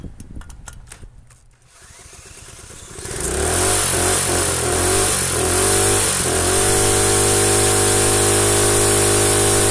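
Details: Rusted Predator small single-cylinder engine run with no head gasket, after running a while: catches and runs hard and steady with a harsh raspy edge; gas starting to leak and blow out the side of the head, streaking oil, though compression remains.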